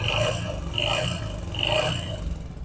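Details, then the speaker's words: Yamaha motorcycle engine running: loud, harsh metallic clatter from the top end, caused by the timing chain. Timing chain rattle. "ये जो आवाज है बेसिकली दोस्तों इसकी टाइमिंग चैन की है, लेकिन मैं आपको इसका बिल्कुल फ्री में हल बताऊंगा किस तरह आप ये आवाज खत्म।"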